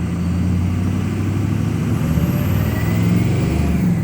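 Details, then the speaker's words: 2006 Ford F250 Super Duty 6.0 Power Stroke diesel revved with foot to the floor; wavering uneven drone with fluttering low beat, seems to break free after a while; rough running and power loss, cause unknown. "seems like it breaks free after a while"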